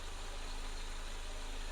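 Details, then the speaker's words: Mercedes-Benz 190E (W201) 2.0 four-cylinder after valve cover gasket replacement: steady, even low hum at idle with no misses, ticks or knocks; normal, healthy idle with no leaks seen. "all right so the engine is running in its own way it sounds good I can see no leaks or something the engine is running"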